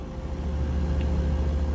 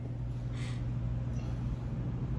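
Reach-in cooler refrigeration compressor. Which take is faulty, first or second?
second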